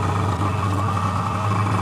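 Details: Fengda FD-186 oil-free airbrush compressor with 3 L tank, filling the tank (1 min 30 s to full), indoors: loud, constant motor hum with a steady buzzing note, no knocks or surging; runs evenly and normally but very loud.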